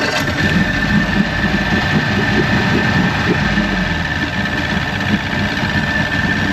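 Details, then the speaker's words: 1996 Force 120hp two-stroke outboard on a Bayliner Capri after water pump replacement, cold start using warm-up lever and a little throttle: fires right up and settles into steady, even burble, no misses or knocks; healthy start and warm-up idle. "Give a little throttle just to at first. It doesn't have a tachometer. We'll get her warmed up. It's being good."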